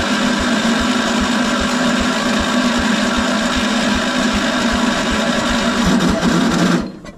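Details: 1975 PowerKing tractor, first start after 2 years sitting, choke out, slight throttle, clutch in, likely neutral: slow, loud, uneven chugging with a low thump about twice a second; owner suspects moisture inside and flooding; rough running after long storage.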